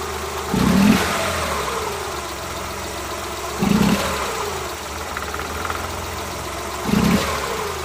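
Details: Suzuki Multicab F6A engine at 25% throttle opening, uneven stumbling "Tak...Takatak...Tak" beat with a heavy shudder and engine vibration roughly every three seconds: random misfire under part throttle.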